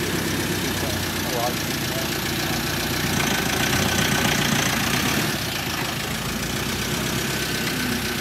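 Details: 2013 Ford Ranger 2.2 TDCi after fitting a new recon (reconditioned) engine, not yet up to temperature: steady, even diesel clatter at idle with no misses, knocks or surges; the engine sounds smooth and healthy.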